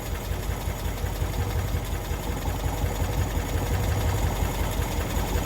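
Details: 1992-ish Cushman Truckster from a field, first run after revival: small single engine chugs at a steady idle with even low thumps, no knocks; normal idle, kill switch apparently not hooked up so it ran until out of fuel.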